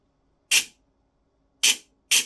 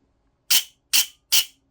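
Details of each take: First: Silverback MDR-X airsoft gearbox, bench-run on battery during teardown: short, sharp bursts of high buzzing with a scratchy edge. The scratchiness persists after adjustment, usually meaning the bevel gear is shimmed too low against the motor pinion. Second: Silverback MDR-X airsoft gearbox cycling with pressure applied to the motor: three clean, even high-pitched whirring bursts, smoother than the horrific sound without pressure; bevel gear sits too low and can't be shimmed higher.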